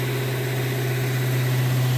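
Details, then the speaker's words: 1970 Dodge D100 during cam break-in after cam swap with DLC lifters, held near 2,000 rpm after long sitting: smooth, even note with steady exhaust, no knocks or ticks; running healthy. "But, it's sounding good. Exhaust sounds good. Engine sounds good."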